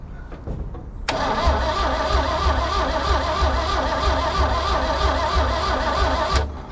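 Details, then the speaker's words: Car cranked with a VTOMAN 2000A jump starter pack: even, fast crank of about three beats a second holding steady without slowing; strong cranking, pack did not overload, dropping 88% to 84%. "it held held a good long crank and then it slowed down we're still showing green light"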